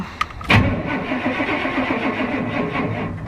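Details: Steady chugging crank of a few seconds that never catches; cranks but no start.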